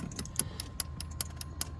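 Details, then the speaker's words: 2001 Porsche 996 Cabriolet flooded after window left down: with key in first position, sharp regular clicks every 0.2–0.4 s and lights flashing like the alarm, stopping at key off; immobilizer believed fried by water. "but when i hook up the key it starts clicking like the alarm is going off you'll see here and uh the lights are flashing like the alarm is going off"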